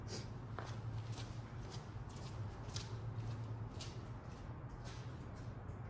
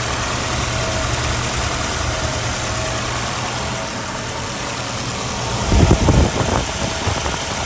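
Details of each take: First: 1987 Volvo 240 GL wagon, first start after sitting an estimated 5+ years, fuel line flushed: smooth, even low rumble idling around 900 rpm with no knocks or misses; normal idle. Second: 1987 Volvo 240 GL wagon after an estimated 5+ years sitting, smoky garage, idle screw raised: uneven idle with faint irregular stumble and a rougher patch near the end; rough idle, cause unknown.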